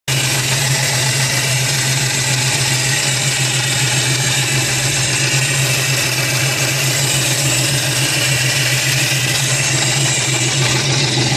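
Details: Nissan VG33 V6 idling with busy fast ticking, three or four ticks a second, after rods and mains replaced with OEM Nissan bearings, plastigauge clearances within spec; ticking remains.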